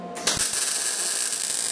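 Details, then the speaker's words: Eastwood MIG175 with C25 gas at about 15 CFH, after raising wire speed: a steady, even frying hiss with no popping or sputtering; a normal, smooth MIG arc. "that's way better higher higher wire speed"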